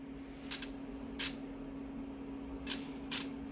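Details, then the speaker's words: Car 428/409 ECM power relay bench test, 12 volts on terminal six and ground on terminal two: four crisp separate clicks over faint steady hum; relay switching cleanly each time powered, normal. "so this is six that i said ground has to be number two turn this on you see how it's clicking"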